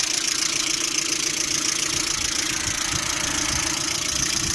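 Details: Lada Priora idling, knocking both cold and hot: light, fast ticking about three or four per second over steady idle hiss, seemingly from the timing-belt side; hydraulic lifters doubted, water pump suspected; engine also overheats while driving. Cause unconfirmed.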